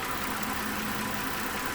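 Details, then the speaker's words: 2012 Mazda 6 3.7-litre after cooling fan module replacement, idling about 4–5 minutes: steady, even moderate-speed air rush over a quiet idle, with no surging or full-speed roar; normal operation, and the new module fixed it. "Fired it up, and the fan seems to be not running up in the high speeds, not doing anything crazy."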